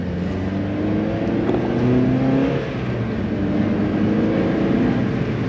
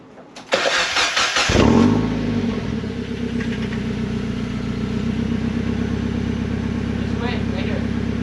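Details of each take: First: Miata back on stock exhaust after a state referee ticket, pull in second gear; smooth, even engine note climbing, no boom or drone; quiet, healthy stock exhaust. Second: Miata with axle-back muffler removed, leaving cat-back with resonators; cranks and catches into a loud, raspy idle with crackling pops on revs; open, mean-sounding exhaust.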